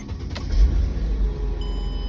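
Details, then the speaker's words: 2005 Mercedes CLK 320 W209 with intermittent no-crank from a faulty starter relay in the front fuse box, relay terminals 3 and 5 jumped: a short burst of deep cranking, then it catches and settles into a steady low idle; starts fantastic. "starts fantastic"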